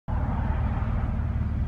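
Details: Car idling at a stop with idle RPM set too low: deep, uneven rumble, engine shaking and stalling at stop signs; RPM later set back to 600-700 — rough idle from low idle speed.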